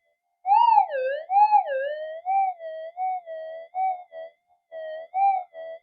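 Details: Upgraded older Minelab GP Extreme detector on the bench, 0.05 gram gold flake passed: clean warbling tone rising and falling in short bursts, a strong, healthy response.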